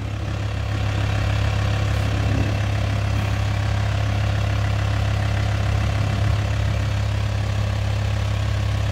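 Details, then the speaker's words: VW T5 Transporter diesel after its pump-injectors were removed, clearance set and seals replaced: it now starts instantly and gives a smooth, even, smokeless idle with a steady low throb and no stumble or knock. "Ну вот работа двигателя такая движок не трясётся стоит ровненько"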